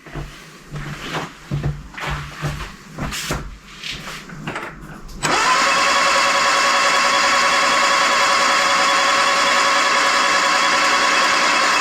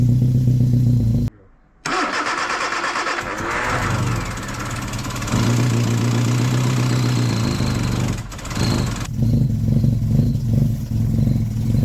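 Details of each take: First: Freshly rebuilt 1311cc A-series engine, first-ever build, cranking before first start until fuel arrives; steady even starter whir, no squeaks, knocks or bangs, oil pressure warning light goes off. Normal cranking. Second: Freshly rebuilt 1311cc A-series engine, first start, full choke; catches and runs rough and lumpy, won't rev at all, oil light goes off. Ignition timing too retarded.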